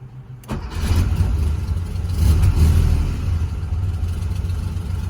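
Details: 1982 Porsche 911 SC warm startup: catches quickly, then a lumpy, uneven idle with irregular stumbles, pointing to a misfire.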